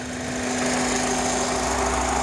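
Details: 2005 Honda Accord coupe idling, hot or cold: steady hum with a thin flute-like whistle from the intake manifold and throttle body area, louder above about 30 mph; it seems to stop when a vacuum line/hose is removed, and the PCV valve is new.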